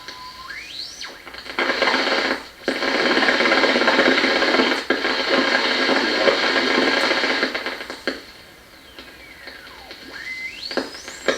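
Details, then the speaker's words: 1937 Grunow Teledial Model 588 radio front-end troubleshooting: its oscillator, heard on a nearby radio tuned to a weak station, produces a whistle sweeping in pitch through static as tuning passes, not very loud; oscillator confirmed working. "have to admit it's not very loud but i'm getting an interference with this oscillator running interfering with the with uh this radio"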